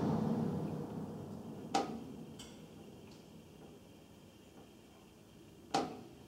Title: Tapping noise from duct work recorded for more than 3 minutes